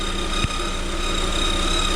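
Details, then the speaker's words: 2021 Lada Vesta, about 3000 km, at idle: constant high whistle, worsening; owner suspects alternator or idler roller, unconfirmed; fades after about 10 minutes of driving. "наш ролик свистит все сильнее вот если слышите да ест идет явно от генератора получается"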